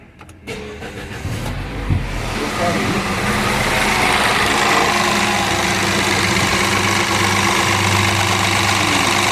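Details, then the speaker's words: Citroën C4 THP engine at 49,720 km, with the customer complaining of noise at startup. It cranks and catches with a loud clattery rattle settling into a busy idle, caused by the timing chain, a chronic THP problem. "que acontece com esse carro aquele barulho da partida é ele é referente à corrente de comando né"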